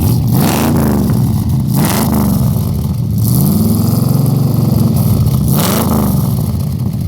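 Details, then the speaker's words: 1962 Chevrolet Impala fires right up and is revved, exhaust heard from the rear: a deep, even rumble rising and falling cleanly with each throttle blip; a healthy engine revving freely. "As you can hear, it fired right up."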